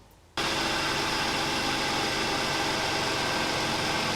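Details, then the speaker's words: Mercedes C300 W204 idling after replacing the idler pulley, torqued to 35 Nm, and reinstalling the serpentine belt: even hiss, previous ringing noise gone; belt drive normal. "as you can tell by the clip that i just showed there was no more ringing noise"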